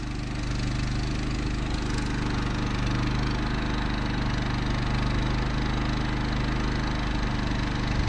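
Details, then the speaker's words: Champion 3500 W portable generator in an enclosure with two fans on a 1990 Fleetwood Bounder motorhome: even constant drone, soft low hum, no surging or knocking, measured about 52 decibels, running quietly. "pretty nice 52 decibels that's is quiet that there is as quiet as the honda 2000 that's the famous little generator"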